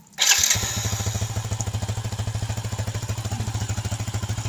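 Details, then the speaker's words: Yamaha Jupiter Z1 after reassembly with new BRT bearings, cylinder head and clutch refitted, first start for a one-hour break-in run with water cooling; engine catches at once into even quick putter, no knocks or rattles, smooth normal idle. "Oke kedengaran ya sahabat semua jadi kedengaran halus suara mesinnya"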